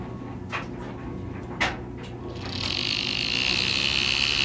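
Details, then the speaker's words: Bachmann HO scale 4-4-0 "Jupiter" locomotive from an earlier run, running on track from a controller: two light clicks, then a loud steady high-pitched motor whine. The motor is loud and occasionally stalls, needing a nudge for contact to restart. Cause unknown. "As you can hear, the motor is pretty loud. And see, once in a while it'll do that, and then you have to give it contact to get it going again."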